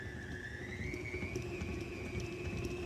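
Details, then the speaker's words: Old mixer beating a thick buttercream icing batch before the liquids are added: motor whine rising with faint rattles as it starts to labour against the stiff mix. "can you hear that it's rattling and that it sort of sounds like it's getting a little tough in there?"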